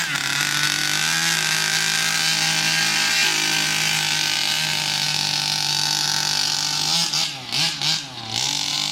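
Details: New Rovan 36cc double-ring two-stroke in a King Motor Baja 5B, warmed up, head gasket removed: high-pitched scream revving cleanly and holding strong under full throttle without bogging, the power the builder wanted.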